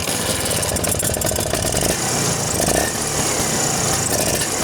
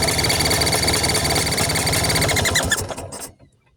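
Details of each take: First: Vespa two-stroke engine after tightening a loose carburetor nut that caused a strange noise; steady buzz with short throttle blips, no odd rattle or hiss, healthy idle. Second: Vespa engine at idle: fast, even chirping ticks about four a second over the idle; air leak at a loose carburetor mount.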